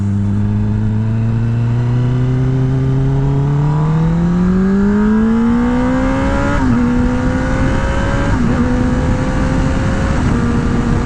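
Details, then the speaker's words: 2021 Kawasaki ZX-10R with a new exhaust, full acceleration through the gears: smooth, clean rev climb with quick upshifts. Sounds healthy, though the owner dislikes how the engine spins and wonders if the exhaust is related. "sounds great so it's all good"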